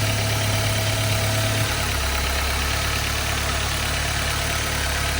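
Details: 2015 Audi A3 after camshaft adjuster magnet replacement, which cured rough idle and stalling. Steady, even idle hum with no misses or surging, engine stays running; normal idle.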